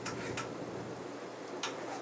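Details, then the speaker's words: Casablanca Ventura 50-inch ceiling fan from 1993, bearings replaced, on speed 5: quiet fan whoosh with a few sharp, irregular ticks; light clicking attributed to a warped mounting bracket. "Has a little bit of a clicking noise, but it's not that bad. It's mostly because of the warp bracket."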